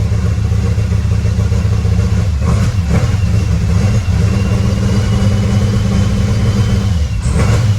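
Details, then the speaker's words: Freshly built Volkswagen VR6 engine, cold, running rich at about 43 fuel pressure on light throttle: loud, deep, uneven lumpy beat with stumbles; misfiring heavily, one cylinder suspected not firing, cause not confirmed. "Alright, so finally after 1,000 tries, we finally got it. You heard it, it was running. Not in the best form. Obviously it's misfiring like crazy."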